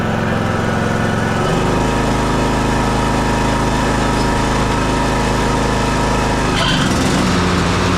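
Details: John Deere D110 riding mower with a 19 hp Briggs & Stratton engine and 42-inch deck, after a new carburetor, blades and belt: it starts and runs smoothly. The note drops and steadies as the deck engages, pulling without stumbling.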